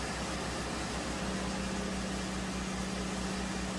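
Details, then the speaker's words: 2008 Hyundai Accent 2.0 after repairing a misfire traced to a failed cylinder 3 coil and worn plugs: a steady, even idle with a smooth low rumble and a faint constant hum, no stumble. "as you can see it's running fine now i'm going to take it for a road test"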